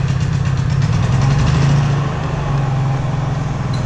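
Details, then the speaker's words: Portable generator with Eco throttle at a cabin, just started with choke after refuelling, microphone right beside it: steady low drone with an even beat, no misses or knocks; normal quiet idle. "it's just a real quiet generator this is how it runs when it's powering the cabin pretty much 24/7 and as you can tell I'm sitting right beside it and it's it's really quiet"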